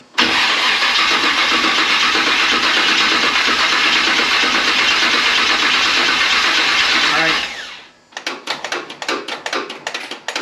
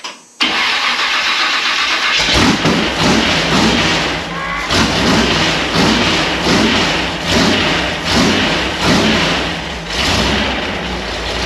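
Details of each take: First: Model A rat rod after TH400 transmission rebuild and install, cranking for about seven seconds without catching; owner suspects the fuel system ran dry and needs time to get gas back up; crank no start. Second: Ford Model A rat rod V8 after TH400 transmission rebuild and install, started after dry cranking until fuel returned: catches and settles into a lumpy, even idle with steady throb, running cleanly as it warms.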